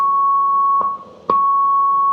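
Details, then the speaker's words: 1965 Hammond A-122 organ after a foam job, vibrato off: a clear high note with faint, uneven stray tones murmuring underneath; tonewheel generator leakage (crosstalk), inconsistent across the keyboard and really bad on upper tones. "And then you have tones farther up where you can really hear that the rest of the generator kind of talking in the background. It's a neat sound if it's consistent and something you like, but it's really bad up here."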